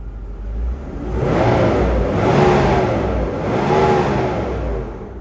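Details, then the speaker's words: Land Rover Discovery II fan clutch locking up as the engine heats: a loud airy whoosh like a jet swells and falls with each throttle blip, louder than engine noise. This is normal viscous fan clutch engagement, pulling air properly. "you don't hear engine noise. You just kind of hear that worring whoosh of that fan. And when it is engaged, you can hear it."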